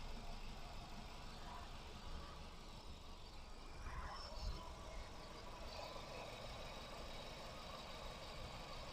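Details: Nissan Tiida/Versa petrol idling with a low, uneven thumping beat; engine misfire and rough running.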